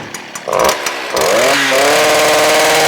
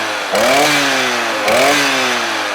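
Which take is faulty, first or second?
first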